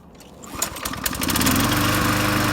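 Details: Toro GTS Recycler lawn mower, trash find with a suspected blown head gasket, on fresh gas: a few quiet pulls, then it catches within a second and runs steady and even without sputtering; normal start.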